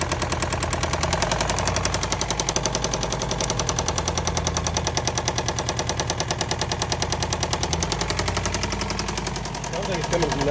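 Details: Running engine: steady, fairly quick knocking, roughly three per second; rod knock suspected and coils disconnected one at a time to find the cylinder; one side sounds quieter, cylinder not yet confirmed.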